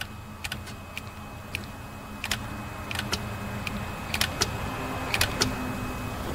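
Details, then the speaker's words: 2005 Toyota Solara 3.3 L with code P0766, not upshifting: power jumpered to shift solenoid 4 (measured about 12.4 ohms), mic held near transmission; sharp single clicks at irregular intervals; solenoid actuating normally. "I don't know if the mic is picking this up but when I send power to the solonoid I can hear it click inside the transmission"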